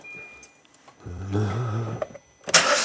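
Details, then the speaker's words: 2015 Hyundai i10 1.0 litre at first start-up after timing chain replacement: the starter cranks, then a brief metallic rattle while the chain tensioner fills with oil before it settles; the earlier shushing noise is gone. "well I was expecting that rattle what was the rattle Caron chain tension filling up with oil just filling itself up"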